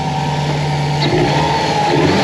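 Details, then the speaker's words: 2004 Subaru WRX wagon boxer turbo engine after replacing a loose timing belt tensioner that caused knocking: short throttle blip rises and falls smoothly with the usual burble and no knock; engine now healthy. "as you can hear she's smooth as can be the timing belt tensioner was definitely the issue at this point"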